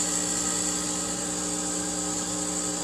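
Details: Boiler controls after the heat was turned on: steady high-pitched buzz with a faint whine over a low hum, coming from the control box; a relay or other mechanism there is suspected of failing.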